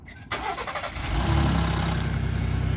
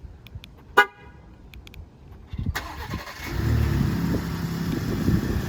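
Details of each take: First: Ford F-150 Raptor 3.5L EcoBoost V6 remote cold start on a cold morning after recall cam phaser replacement; brief harsh metallic clatter from the engine front, which the owner calls a wastegate rattle, before it settles to idle with no cam phaser rattle. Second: Ford F-150 Raptor 3.5L EcoBoost V6 cold morning remote start after dealer recall replacement of the cam phasers: horn chirp and clicks, then the engine fires and settles into a steady, even cold idle.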